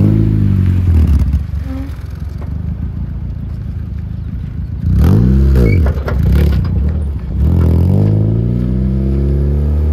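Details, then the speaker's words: K24Z-swapped Honda EK hatchback on a street/track build, driving: the engine climbs and drops through the revs, lumpy and rough at low rpm and smoother higher up. The swapped engine is rough down low, and the clutch also feels off. "it feels weird but it definitely feels Na and every GE and obviously and the engines are all rough in the low RPMs"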